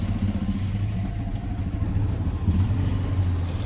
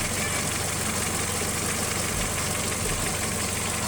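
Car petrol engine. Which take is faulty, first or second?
first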